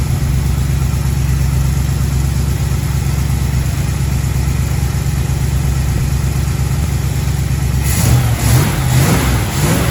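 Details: 1936 Chevy coupe, 350 small-block V8, new HEI distributor, pre-warmed engine: steady quick burble well above normal idle after timing advanced; idle screw needs turning down.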